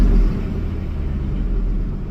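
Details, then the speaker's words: 2003 Ford F-150 V8 just started after replacing a failed ignition coil: deep, even rumble with no stumble or skipped beats over a couple of seconds; smooth idle on all cylinders; the coil fixed it; normal idle. "Oh, she sounds good. Looking good. Looking good. That coil did it."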